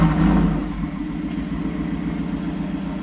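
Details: 2024 Ford F-150 single cab, 5.0 V8, with a newly installed Corsa catback exhaust. A deep burble settles from a blip into a steady, even idle with no ticking or leak puffing; normal idle, exhaust sealed.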